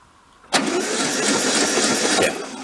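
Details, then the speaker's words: 1995-parked VW Beetle convertible air-cooled engine: starter spins the engine steadily for about two seconds but it never catches; cranks without firing, no spark at the coil wire, fuzzy dirty points suspected. "Let's go arc that and see if it'll spark for us. Get rid of that. Let's see over under. I'm gonna give it 20% chance. A 20% chance of nothing. Alright, so we gotta go clean the points, I think."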